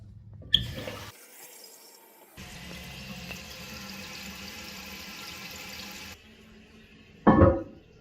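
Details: Toilet tank refilling after replacing leaky rubber flapper (old one let water seep, causing on-off running): steady rush of water filling for several seconds, then quieting with a splash at the end; normal refill.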